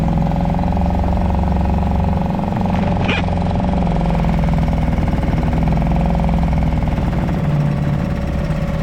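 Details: Suzuki 2.5 HP DF outboard, long shaft, in neutral in a 5-gallon water bucket, oil barely in sight glass after a low-oil-sensor no-start: steady, even idle putter with constant water splash, no misses or knocks; running normally.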